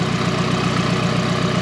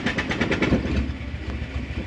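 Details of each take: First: Nissan S13 240 after running out of gas and refuelling: even, regular idle pulse about eight beats a second with no skips or surging; idles healthy. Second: Nissan S13 240 that ran out of gas and broke down, new battery fitted: long even starter cranking about six or seven turns a second before finally catching; sounds fuel-starved, fuel pump or injectors suspected.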